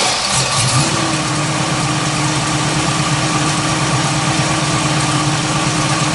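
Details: 1967 Chevrolet Camaro with a 350 small-block Chevrolet crate engine, 650 cfm carburetor, Edelbrock intake, Borla dual exhaust, heard from under the hood: catches after a brief crank and settles into a steady, even, deep idle with a smooth burble; normal idle.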